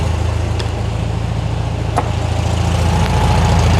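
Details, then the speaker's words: 1973 VW Thing engine after a brake bleed and fuel system install, warming up with the idle bumped slightly: a steady, even low thrum with no knocks or misses and a healthy idle; creaking from the engine was noted elsewhere. "Give it a pump. Let's get her warmed up again. I want to bump her up just a little bit. That's better."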